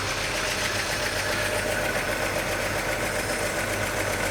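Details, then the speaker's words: 1941 Chevy coupe six-cylinder, new generator and fan belt, steady even idle with a fast busy beat and no misses; idle a little high, wants carb adjustment; slight hiccup, owner suspects sticky valve or excess valve lash. "idle's a little high."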